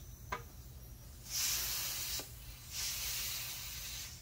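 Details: Cut tire sidewall repaired with 3M plastic and rubber adhesive; two long, sharp hissing bursts of escaping air with quiet gaps, air leaking at the end of the cut where not enough glue got in.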